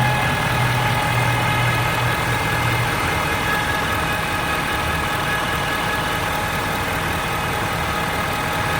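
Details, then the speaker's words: 2013 Ford F-350 diesel at warm idle: steady thin whine at constant pitch over the engine, only occurs when warm; source undetermined after visits to 7-8 Ford dealers. "is a Ford F350 diesel 2013, making this really whiny ass noise. Only does it when the engine's warm."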